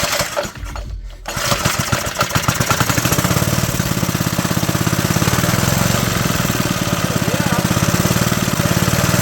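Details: Doodlebug minibike single, first test of the untouched motor after carburetor cleaning, flywheel magnet cleanup and priming: catches after a couple of pulls, runs with quick, even firing pops at a steady speed, maybe on choke; healthy.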